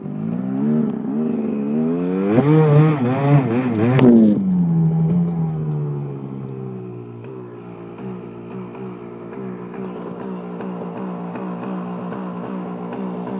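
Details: KTM 250 SX hot idle: sharp revs die back to a lumpy idle with an uneven rhythmic rattle, only when hot, sometimes heard while riding; owner suspects power valve, not confirmed.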